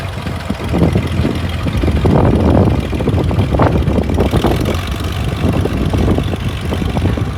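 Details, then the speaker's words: International 656 gas tractor, long sitting, started on a jump pack: runs unevenly with irregular stumbling bursts and no steady beat; carburetor float stuck, float needle sticking and overfilling with fuel. "The carburetor real quick, and the flow was stuck. Now it's stuck in the opposite position."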